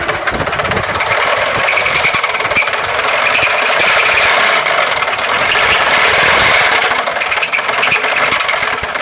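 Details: 2004 Subaru Forester XT running petrol engine with a fast, rough ticking-knocking clatter over a hissy, high-pitched engine sound; the cause is unknown, and a timing belt tensioner test didn't seem to find the problem.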